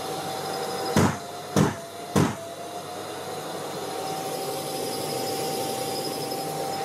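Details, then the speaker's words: Bosch GAS 35 M AFC wet/dry vacuum, hose removed and inlet capped to test airflow monitor: three sharp filter-cleaning thumps about half a second apart over steady motor whine, then cleaning switched off and the low-airflow warning signal sounds soon after. "Et tu as vu, très peu de temps après, le signal sonore s'est mis en route pour te dire qu'il y avait un problème, quoi."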